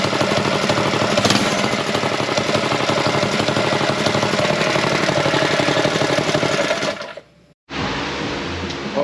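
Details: Go Power Sports Rascal mini bike, single-cylinder, carb tuned with bigger jet, choke off: revs briskly with quick, even firing pulses and no misses, then cuts off cleanly; carburettor tuning spot on.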